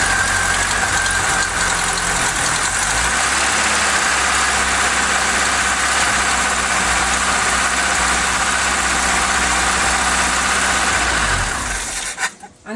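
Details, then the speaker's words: Mk3 Ford Cortina Estate with carburettor trouble, fuel reaching the filter and needing throttle to start even when warm: it catches and runs a rough, lumpy idle for about eleven seconds, then sputters and stalls, with fuelling trouble likely. "dies again it was fine for a little while turned it off"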